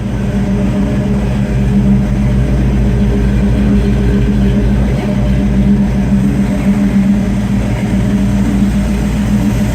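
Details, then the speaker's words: 1951 Willys Wagon with a used AMC 401 V8, new Flowmaster exhaust and a temporary ignition setup: deep, steady rumble with an even, throaty note and no knocks or misses; runs strong and healthy. "so pretty sweet little runner one's really good about this motor used a couple years ago from a guy that was off-roading the motor so runs pretty good nice sound with these flowmasters on it"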